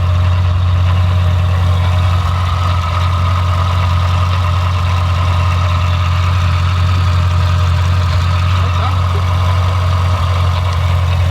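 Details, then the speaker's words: Supercharged V8 after Magnuson supercharger install, running after MAP sensor swap; deep steady burble with even idle, no misses, knocks or hunting; fires right up and idles smoothly. "as you guys saw on the take two it fired right up and yeah this thing's uh it was running good"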